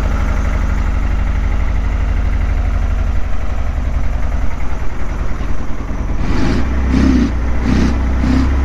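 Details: 1976 KZ900 inline four after sitting about 10 months, started on fresh gas with a few cranks: a lumpy, uneven idle, then sharp throttle blips. The owner suspects it needs a good run and Sea Foam to clean it up.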